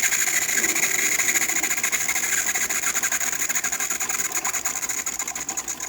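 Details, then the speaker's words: Older-style DeLonghi Magnifica after full shop service; the customer had replaced the flow meter, generator and water pump. Priming via the hot water tap with the machine hot: a steady high buzzing whine with fast, even pulsing. Pump primed and delivering normally. "And that's how you would prime the pump. So it wouldn't look like this because we got it really hot. It'll look like the steady stream that's about to come out."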